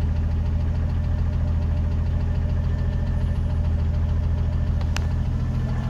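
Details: 1980 Jeep CJ7 at idle: quick regular ticking about three per second over a steady idle, coming from the engine; cause unknown.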